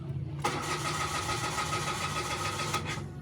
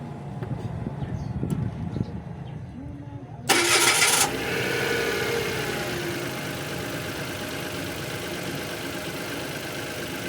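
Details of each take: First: Mitsubishi Mirage G4 automatic: starter cranks the petrol engine at an even beat for a few seconds but it never fires; check engine light slow to come on, scanner cannot connect. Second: Mitsubishi Mirage that would only crank without starting, now running after a cut wire was repaired: short burst as the engine catches, then a steady, even idle with no check engine light.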